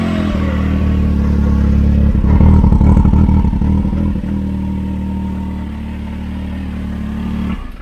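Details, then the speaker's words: Can-Am Maverick X3 (three-cylinder) after flashing back to stock tune, check engine light flashing: deep drone with an uneven, stumbling, lumpy pulse under revs, as if one cylinder drops out; misfiring. "yeah you're and it sounds like it's misfiring that's only running on three cylinders 2009 three cylinders yeah so we're gonna see what we got"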